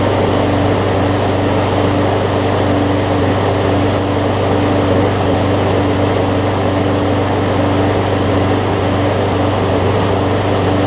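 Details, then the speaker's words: John Deere JA62 push mower, about 15 years old, Briggs OHV Quantum-style engine, after carb clean, running unloaded: steady even single-cylinder drone with constant pitch and only slight surge up and down; runs fine. "you'll hear it surge up and down just a little bit but honestly it's probably the best overhead valve briggs quantum style that i've had in terms of it not surging as much"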